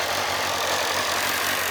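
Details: 2007 Kawasaki ZZR600, carbureted DOHC inline four, said to be mechanically tip-top with new fork seals, rubber and cush drive; exhaust took a hit. Steady, even idle with a smooth hiss-like buzz and no knocks, ticks or misses. Normal idle.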